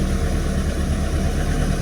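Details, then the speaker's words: Ford Escort XR3i rough runner idling after a cold start: steady low idle holding on its own with an even rumble and no stumbling or dying, having struggled at first; normal idle. "But as you can see, even though it was kind of struggling, it started and it's running on its own steam."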